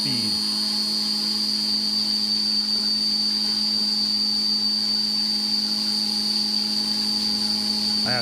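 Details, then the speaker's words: End mill cutting 4140 steel with coolant on a new VM 3018 mill, machining Toolex soft jaws: a steady high whine holding one even pitch with no chatter or squeal. A normal, clean cut. "It sounds good so far. Keep in mind that's 4140 that we are machining there."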